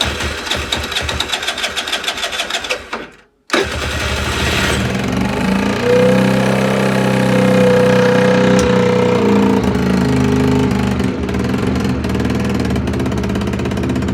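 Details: Longjia 50cc two-stroke scooter started on 12 V portable jump starter (no battery) after carb cleaning and electrics sorted; after a brief cut-out it fires and settles into a steady, even buzz, revving cleanly; normal running.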